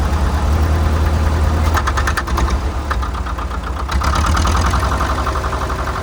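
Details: 1947 International Harvester TD-9 gas-start diesel crawler, first start in years after a magneto rebuild and correcting timing that was 180° out: deep, heavy chug at a steady beat near four pulses a second with no misses; normal idle.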